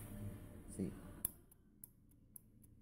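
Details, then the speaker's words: Energized propane lockoff on a bench test for a truck's no-start with excessive fuel: sharp single clicks about every half second over a quiet background, holding pressure at 1 PSI. Normal lockoff clicking while regulating. "can hear the lock up clicking and the pressure does not go up Beyond one PSI"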